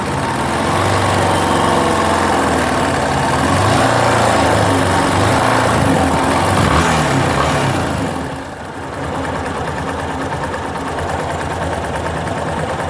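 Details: Yamaha Fazer 250, engine fully hot (quiet when cold): quick metallic ticking rattle at idle, about four per second, over the engine; attributed to the cam chain tensioner.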